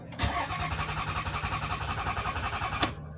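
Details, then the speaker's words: Toyota Sienna with the crankshaft position sensor wire disconnected: starter spins the engine with even churning for under three seconds and never fires; crank-no-start. "You can see it's only cranking but not starting."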